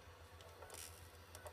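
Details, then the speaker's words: PS4 disc drive buzzing at startup and while loading a game (FIFA 14); low steady buzz pulses from the drive with faint clicks and rustles, cause unknown to owner. "heard it a little bit there, didn't you? It's just a buzzing sound now."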